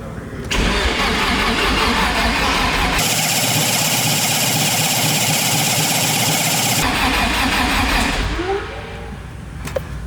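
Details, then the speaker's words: Nissan 240SX with freshly built, swapped SR20, first start, waiting for oil pressure: long steady cranking at about four beats a second, never fires; weak battery, later started with a jump pack. "Just waiting for that oil pressure. Battery's shot."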